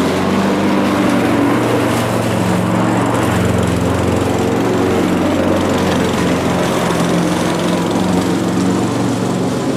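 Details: Mountfield budget push mower with entry-level Honda vertical-crankshaft engine, revived old unit, cutting grass: steady even buzzing drone with no misses or surging; normal healthy running under load.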